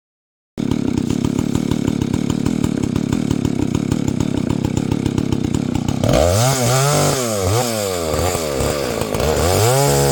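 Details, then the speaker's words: Husqvarna 285 (85cc) two-stroke chainsaw after a seal replacement and a shortened bar, cutting wood: pulls steadily with an even, rapid firing beat, no bogging or stalling; healthy running saw. "I made it run it will cut wood at this point in time I just ran it out of gas does not stall the way it did before and it putts like a lawn more the way it's supposed to"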